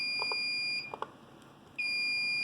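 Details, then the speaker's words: Home server RAID array after swapping in a new drive for a failed one: loud, steady high-pitched alarm that drops out briefly and resumes, as the array remains degraded until a rebuild is started. "Well, I've got the new drive installed. Um, but I had to boot up the system. And as you can hear, the alarm is once again going off."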